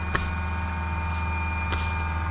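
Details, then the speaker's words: Pilatus PC-24 jet on the ground before engine start: the hydraulic pump in the back builds brake pressure on battery power. A low steady hum and drone with a couple of brief hisses; normal hydraulic pump operation. "You can hear the hydraulic pump in the back, pumping up the hydraulic pressure for the brakes."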